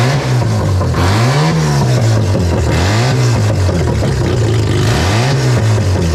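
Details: Mazda RX7 barn-find 12A rotary, carbureted, sitting for years, first startup after revival (carb flooding from suspected stuck needle and seat, small coolant drip): smooth even buzz rising and falling cleanly with throttle blips, no misfire or rattle; healthy engine.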